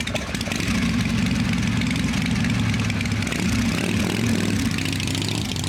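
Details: "Little 81" at a slightly slow idle after a clean-up and tune-up, low even rumble with no rattles or ticking; owner says smooth and quiet: normal idle.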